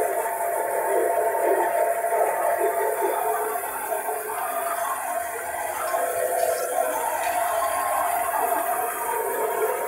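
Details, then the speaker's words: Old basement bandsaw, used 31 years, sat outside in the cold, first start-up with safety blade cover on: steady mid-pitched squeal over the running saw, blade rubbing somewhere on top. "still not hitting so let's start it on [Applause] hitting somewhere on top here"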